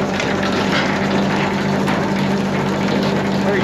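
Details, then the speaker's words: New Mas silage trailer unloading chain driven by Parker hydraulic motors each side: loud, even hydraulic drone, constant low hum, no knocking or chain slap; smooth normal operation. "because that cold will tighten that chain up and then it'll be running too tight on it. Nice smooth operation on this."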